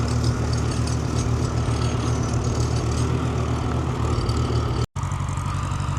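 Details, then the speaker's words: Farmall H row-crop tractor: low lumpy idle with a regular stumble every few firings, like one cylinder missing; owner suspects a dead spark plug, not yet checked. "Sounds like she's developed a bit of a mess. We'll have to drop the plugs out of her. Probably won't be happening this episode, but yeah, she's definitely got a dead plug."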